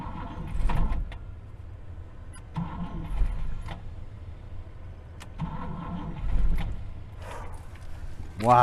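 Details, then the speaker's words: 1964 Buick Riviera sat 23 years in a field: short, uneven cranking bursts with pops, firing heard out the tailpipe, but no start; blamed on the failing starter. "look at that it wants to go yeah it does it wants to go that starter is just killing us man you can even hear it firing out the tailpipe"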